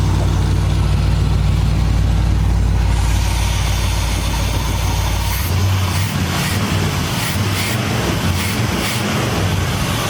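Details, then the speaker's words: 1976 GMC Sprint V8 with Quadrajet carburetor, first run after sitting about 15 years, new belts and power steering hose: deep steady rumble, even firing, no knocks or misses; normal idle, carburetor running well, smokes a little. "Old carburetor started running good. And that was surprising with a quadrant jet, because usually when they sit around, they go bad."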